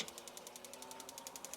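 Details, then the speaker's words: BougeRV portable propane on-demand water heater, first test, pump submerged in a 5-gallon bucket, inlet water 39°, set to 52°: rapid ticking of about ten clicks a second as the igniter sparks with the pump running, then the flame lights and water flows; normal ignition. "something's happening something's happening I heard Flames whoa there's water coming out"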